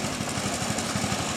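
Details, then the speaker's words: Healthy factory 8 hp single-cylinder lawn tractor engine idling with the side panel removed: quick, slightly uneven thumping at about ten beats per second, shaky and jumpy but no metallic knock; normal idle. "Not that it has a problem running, but I was going to show you what a normal 8 horsepower idling motor looks and sounds like. So if you look at it close enough, it's shaky, very shaky."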